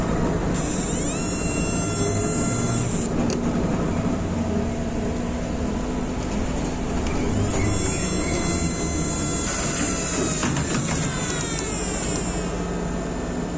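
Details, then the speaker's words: ZIU-683B articulated trolleybus No. 3001, built 1994, with thyristor control system, riding inside: steady electric whine with faint rising and falling tones over the rolling rumble. Normal thyristor control whine. "Tôi đã đi vòng quanh Moscow vào năm 2005-2006 và không hiểu âm thanh này phát ra từ đâu. Bây giờ tôi thông minh và tôi biết đó là hệ thống điều khiển xe buýt."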